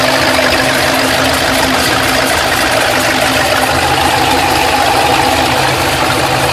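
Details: Pontiac GTO LS2 V8 after head, cam and intake swap, idling: light quick tick clattering over an even idle, steady with engine speed; ticking cause not yet pinned down.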